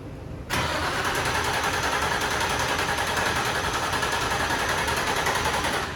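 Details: Steady starter cranking for about five seconds without firing on a built, turbocharged Infiniti G35 being started for the first time since August 2020; turns over but won't start; spark plugs to be swapped next.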